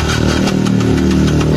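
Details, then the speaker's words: Yamaha Jupiter MX King motorcycle, which won't idle and runs rough: harsh, rattly whirring while the starter cranks, caused by a broken one-way starter clutch with all three bolts snapped. "ini staternya berisik kayak gini nih"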